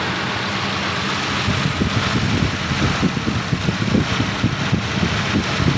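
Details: 1990 Nissan Safari after its crank no-start fault is fixed: a steady, even low idle pulse with no knocks or misses; the engine runs smoothly.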